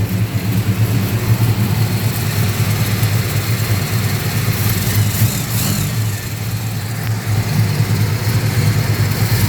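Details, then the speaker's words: Holden HQ small-block Chevy V8 after the carburetor was replaced to fix the fueling issue, rich at idle because revs don't drop when the intake is covered: a steady, even burble with no skips; normal idle. "better I know is running um nice and Rich at idle because if I cover the intake the engine RPM is not dropping"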